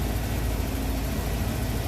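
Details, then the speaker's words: Van after a day of repairs, with the breather off: engine idles with a steady, even low rumble, no knocks, misses or rhythm changes; runs smooth and sounds healthy. "Motors run smooth sounds good give her just a little bump here"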